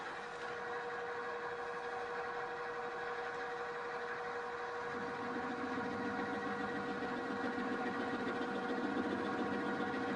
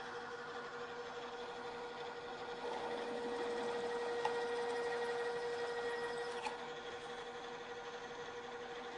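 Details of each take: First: Milling cutter held in a drill-press drill chuck, a flexible setup. The steady spindle whine turns to rumbling chatter while feeding across the part, leaving surface irregularities of about ten-thousandths of an inch. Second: Drill press cutting metal on the way to a 1-inch hole, rerun at lower speed after chatter at higher speed: steady, even hum with no chattering or jumping.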